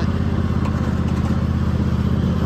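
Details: Toro TimeCutter 5000 zero-turn mower after maintenance, mowing and collecting leaves at steady throttle; loud even low engine drone with no misses, knocks or rattles; normal running.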